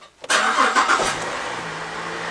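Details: Holden Commodore with intermittent no-crank complaint, after a relay with correct 86/30 orientation was fitted: short crank catches within a second, then settles into a smooth, quiet idle; normal engine start.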